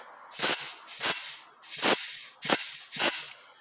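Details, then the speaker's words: VW T4 Transporter 01P automatic transmission, K2 clutch air pressure test with port sealed by fingers: five short air hiss bursts with a dull apply clunk; K2 clutch applies fine, some air escaping past the hand seal. "so the k2 appears to be okay"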